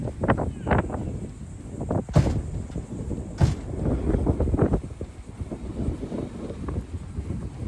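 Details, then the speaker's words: 1966 Chevelle V8 with open headers, first start after new wheels and brake work: uneven stumbling idle with irregular pops and gaps; it's missing or detonating, cause not yet found, ran fine earlier on the first half of a drive. "I want to figure out the issue because for some reason it's acting like it's either detonating or missing, which is strange."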